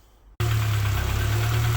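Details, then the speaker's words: Honda Civic EP2 with K-series swap, idle air control valve blocked off: engine catches and settles into slightly hunting idle with dull knock, source unknown, owner unsure if injectors; new noise not there before, inlet temperature seven degrees. "well it's sort of idling by itself it's hunting a little bit but it's a knocking noise from somewhere i'm not sure if it's just injected"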